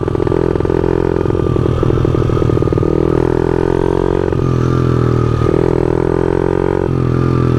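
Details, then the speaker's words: Honda CRF50 pit bike while riding: small single revs steadily then the note sags and bogs partway through, losing power; rider unsure why it bogged, cause unclear. "I don't know why I bogged down like that."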